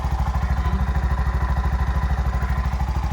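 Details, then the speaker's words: Bajaj BS6 with 2 lakh km, after timing chain problem repair and new clutch assembly, engine previously rough: even, steady low thump about two beats a second, no ticking or rattle; smooth, quiet healthy idle. "ಚಾಲು ಕರ್ ಆಗಿದೆ ಇದು fitting ಎಲ್ಲ totally start start very smooth [ಪ್ರಶಂಸೆ] ತುಂಬಾ smooth ಆಗೈತು ಗಾಡಿ ಇದು ತರ ಸ್ಮೂತ್"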